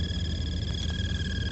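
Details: 2016 Alfa Romeo Giulia blower motor under glovebox: steady high whistle and whir with faint flickering chirps, intermittent, worst when cold and dry after sitting hours, quieter in rain, stops once motor warms; tapping shaft changes it.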